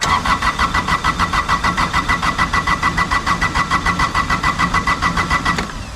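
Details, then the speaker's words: Kubota GR2110 diesel mower hard cold start: starter cranks evenly about three and a half turns a second for over five seconds before it catches; needs heavy preheating unlike the same engine in a BX. "GR's, man. I don't know what it is. It's the same exact engine as my BX, but you got to preheat the crap out of it."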